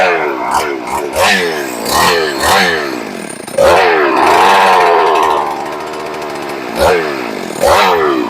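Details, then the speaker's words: Rebuilt ported, decked Husqvarna 394XP chainsaw, first fire: repeated sharp throttle blips with revs sagging and stumbling between them, barely keeping running; idle speed set too low and needs turning up, throttle response good. "it's running you guys get to hear it obviously it needs a throttle I mean the uh the idle turned up a bit the throttle response is pretty good"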